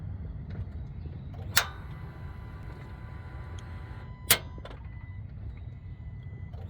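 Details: 2020 Ram 2500 with push-button start not starting: sharp click every few seconds with no cranking or engine turnover behind it; starter isn't engaging, cause unconfirmed.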